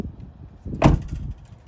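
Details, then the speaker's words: 2024 Toyota Tacoma TRD Off-Road, about 2,600 miles, heard from outside: door thump then a short loose metallic rattle lingering from the rear of the body, not audible inside; owner unsure of source, says not the license plate. "you hear it there's like a a rattle this thing kind of rattles around there's rattles on the outside of this truck"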